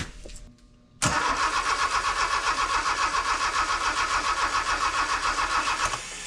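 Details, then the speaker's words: Honda K24 swapped sandrail, first start on new harness and ECU, weak charged junk battery, idle air temperature sensor and alternator not connected: steady fast cranking about five seconds with one brief cough, never catches; crank no-start. "We've been charging junk batteries. It fired once. I heard it."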